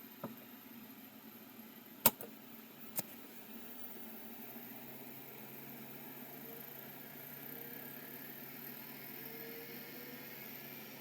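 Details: Seagate ST251 hard drive on spin-up: a few sharp clicks then quiet smooth hum rising in pitch; bearings sound good, though a head crash is heard; tracking marks found.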